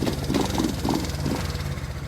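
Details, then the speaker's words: Sitting 1970 Honda CB350, one spark plug was rich: lumpy, uneven idle with irregular exhaust beat; ignition confirmed firing, owner suspects a problem in one carburetor. "so it's it's firing it's just not it's in this carburetor somewhere"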